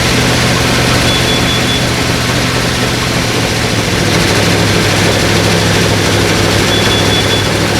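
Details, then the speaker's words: 1937 Ford V8-60 flathead first running on a new 6V electric fuel pump, heavy smoke; loud lumpy stumbling exhaust beat, running on five or six cylinders, owner suspects flooding and a couple of fouled plugs, sometimes picks up to eight; misfire. "running and most of cylinders you got a flood an issue and then I think I filed a couple of plugs cause it would it'll load up be running on five or six then it would kind of get up to eight"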